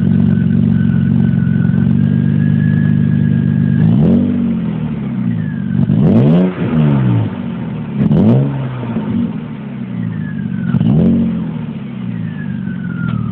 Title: 1997 BMW E36 M3 - Engine Whistle Noise / Whirring Sound / Howl / Whine - #1